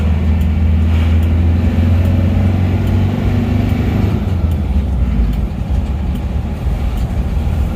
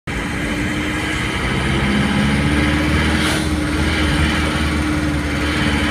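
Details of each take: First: Isuzu Panther diesel after repair of a rattle at 2000 rpm and up: smooth, even drone under steady road rumble above 2000 rpm with no knocking, slight fan belt noise; normal running. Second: Isuzu Panther diesel bought from a showroom: at 2000 rpm and above or when revved from idle, a sharp metallic "nrek" valve-like knock over the clatter; valve adjustment didn't fix it; piston contacting the head, head gasket too thin.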